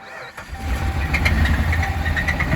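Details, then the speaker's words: 2010 Ram Sport at 183,000 km that needs an engine, heard on start-up. The starter catches, then a heavy, rapid knocking rides under the idle. The owner hears bottom-end noise; the cause is suspected, not confirmed. "I started it. Sounds like it's got some bottom end noise."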